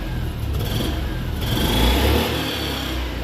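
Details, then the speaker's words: Engine restarted: climbs smoothly to full throttle and falls back without stumbling or popping; no blue smoke, slight black smoke from running too rich; healthy free revving. "that sounds really good and she's not smoking particularly cured a little bit of black smoke too rich I'll fix that and adjust it but no blue smoke so nice it's got good throttle revs all the way up"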